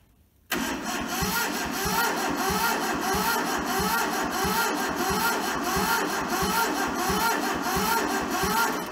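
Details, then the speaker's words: Toyota SDK4 skid steer diesel (rusted, seized, under restoration) cranked via jumped starter solenoid on a temporary diesel tank, with ether and injectors loosened to bleed; steady ~90/min cranking that never fires. Some fuel now reaching injectors, maybe not enough. "I now have juice to my injectors. Maybe not enough, but we've got some, so just tighten that back up."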